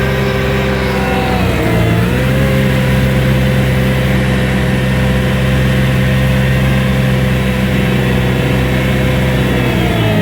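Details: New Vermeer SC1052 stump grinder engine under heavy grinding load: strong steady drone with brief dip and recovery, no knocks or rattles; passed hard torture-test use, healthy.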